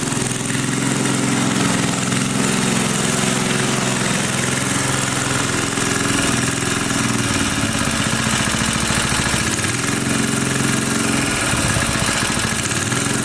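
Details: 1980 power tiller (rotovator) with Briggs and Stratton engine, running after spark was restored; carburetor cleaning may not be needed. Fast even single-cylinder putter at steady speed, no clacking or misses; normal running.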